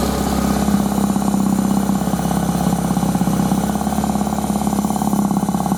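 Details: Suzuki 1100G with Mikuni carbs, cold engine just started after sitting: steady even idle with regular low pulse and no knocks; idle sounds fine though smells a bit rich.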